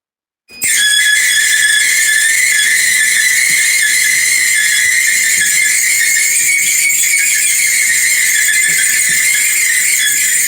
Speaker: here and today I'm going to be showing you how to repair a Maytag 2000 Series washer and dryer unit this dryer here is squealing I'll show you here